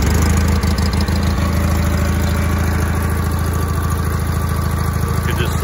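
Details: 1980 John Deere 317 garden tractor, air-cooled twin, cold weather, started after an electrical fault repair: even, steady low thrum at idle with regular firing and no misses or knocks. It idles healthy.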